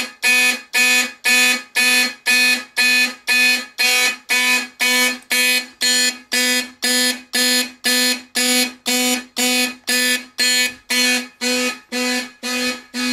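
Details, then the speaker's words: Simplex 4051 fire alarm panel set to march time in second stage, system test with horns and strobes: loud horn pulsing about twice a second, evenly spaced and unbroken; normal march-time signal. "I have the panel set to March time so I'll just sit around and wait for that to do its thing should be a seamless transition so we'll see"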